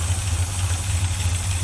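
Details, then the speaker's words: Rebuilt 1965 Chevy pickup V8 with dual exhaust, first start after sitting 15 years; deep, even low rumble at idle with no knocks or misses, smooth healthy idle. "it's sitting there local just nice and easy we'll take you around here and let you listen to it thump a little bit right there"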